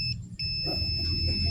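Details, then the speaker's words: Old Honda Prima motorcycle that is hard to start, suspected weak CDI: steady high-pitched multimeter continuity beep, briefly broken, then holding as the CDI ground wire is confirmed connected to the frame; good ground connection. "Nah, jadi untuk masa dari CDI ke rangka motor atau ke groundnya ini dapat ya, ini sudah berhubungan."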